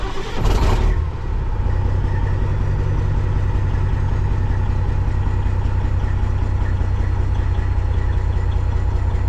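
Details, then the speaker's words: Kenworth cabover diesel started with its original ECM temporarily swapped in as a test; not charging, low voltage. Cranks and catches, then settles into a low, uneven idle with an irregular stumble; still stutters, not much different. "doesn't seem much different. Still has the stutter."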